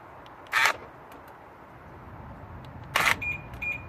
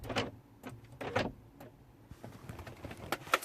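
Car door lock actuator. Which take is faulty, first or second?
second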